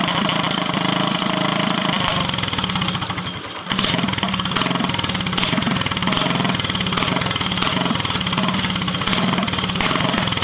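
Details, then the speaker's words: Drift go-kart with a near-stock small engine on a stage 1 kit, not run since last summer (over a year), idle wanders and nearly dies around three seconds before recovering; owner suspects it just needs running in again. "So it's struggling to find idle, I think, just because it needs to be ran more, and it hasn't been ran since last summer."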